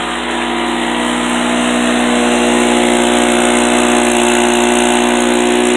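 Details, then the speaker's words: Harbor Freight 800/900 W portable generator, about 15–20 hours, under full load: steady even drone with no rattle or knock; the rattle heard without load is just an exhaust ping, not piston or con-rod slap. Normal running under load. "So, it is it's an exhaust ping without load. It's just a little pinging away of the exhaust."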